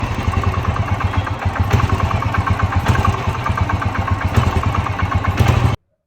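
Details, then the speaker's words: Engine running with a regular hard knock tapping through every few beats; teardown found the connecting rod bearing on the crankshaft fully worn, with side play and center play. "இந்த கிராங்க ஷாப்ட்ல இந்த இது இருக்குங்களா இது பேர் connecting rod சொல்லுவாங்க. இதுல இருக்க bearing தான் ஃபுல்லா வீக் ஆயிட்டு இருக்கு."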